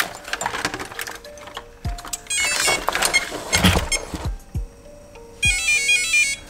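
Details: Holmes Hobbies-powered Axial Wraith RC crawler after plugging the loose receiver lead fully back in: clean rising musical chirps from the motor, then steady beeps and short thunks as it arms and drives; ESC working normally.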